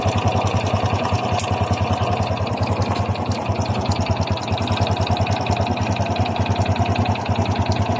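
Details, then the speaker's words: Honda XRM 125 FI single-cylinder idling with a light metallic clatter over the exhaust beat. A mechanic blamed the connecting rod, but it sounds like a slack timing chain slapping the cylinder head and block, to be confirmed by disassembly. "Para sa akin kung ako tatanungin yan po ay tunog ng lagitik ng kanyang timing chin para siyang kumakalansing sa kanyang cylinder head at saka sa kanyang cylinder black."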